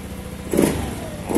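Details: Honda New Scoopy scooter after cleaning the injector with carburetor cleaner (ECU, TPS reset hadn't cured hesitation): two quick throttle blips rise cleanly and drop back with no stumble; hesitation fixed.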